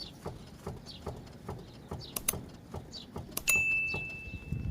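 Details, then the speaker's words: Car front suspension: rhythmic creaking knocks, two or three a second, from a damaged strut mount (top cushion) as the suspension moves; shock absorber fine with no leak; noise also on potholes; fix is replacing the mount. "it's the pad that's damaged shock absorber is OK there is none Leakage is OK with shock absorber"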